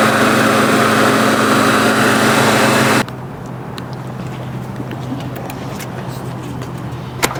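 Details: JDM engine cranking: even, steady cranking at nearly four beats a second, sounding hollow, never catching; no fuel pump heard, spark and possible hydrolock questioned; cranks but won't start, cause unconfirmed.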